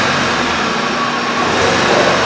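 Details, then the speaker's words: 2010 VW Jetta 2.0 turbo TSI just started after extended crank: lumpy, uneven idle with loping stumble, heavy smoke, rich exhaust, flashing check engine light, P0301 cylinder 1 misfire. "The customer complaint is it's smoking very bad. It has a flashing check engine light. It runs rough."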